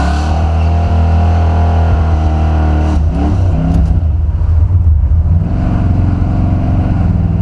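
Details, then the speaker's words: Buick 455 Stage 1 Regal with a Holley 950 carburetor, after its four-corner idle air/fuel mixture screws were misadjusted: low, lumpy idle that sags and stumbles midway, almost stalling. "yo i adjusted the four idle screws on my carburetor figured i get more performance i messed it up the air view mixture stinks now man watch"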